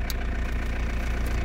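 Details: Van diesel started first try on a freezing morning at about 2°C, idling to warm up: deep, steady rumble with no knocks or misses; healthy cold idle.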